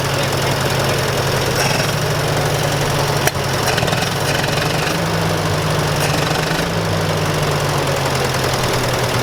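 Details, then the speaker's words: Massey Ferguson 65 tractor, throttle up after carburetor work: loud, uneven, lumpy stumbling beat instead of a clean idle; rough running, carburetor flooding out, needs more carb work. "all right sweet now we gotta work on it from not flooding out obviously now"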